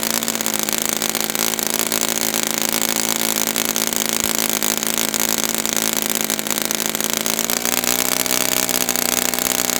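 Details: Brand-new customer Saito FA-100T twin glow engine on test stand, break-in run: loud steady buzzing drone, even pitch, no sag or surging, slightly deeper late; rich, oil dripping from exhaust, not lean. Normal rich break-in run.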